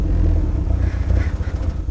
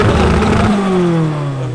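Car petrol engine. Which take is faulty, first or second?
first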